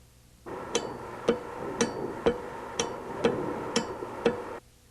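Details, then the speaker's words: Bosch VE diesel injection pump on a calibration test bench with 12 V DC to its electrical fuel shutoff: sharp single clicks roughly once a second as power is switched on and off; the shutoff solenoid operates properly to admit fuel. "After you've made the electrical connection, be sure the solenoid operates to admit fuel. When you turn the power on and off, it'll sound like"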